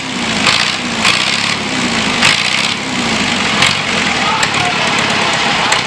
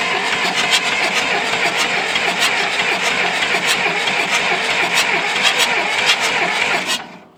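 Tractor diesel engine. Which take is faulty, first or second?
second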